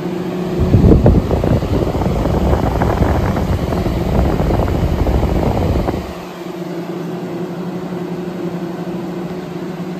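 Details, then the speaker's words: New-old-stock Honeywell HW-680 twin window fan from the late 1990s at full speed. A loud rushing drone with a harsh, bee-swarm-like buzz masks the motor hum, then drops to a quieter steady hum. "there's full speed now at this point I can't hear the hum but the fan itself sounds like a swarm of be so it's still annoying either way"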